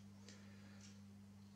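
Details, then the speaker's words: Systron-Donner M107 precision DC voltage source, outputting wrong voltages: two crisp clicks about half a second apart over a steady mains hum as polarity is switched; the polarity relay works. "You hear the relay click for the polarity, so that works."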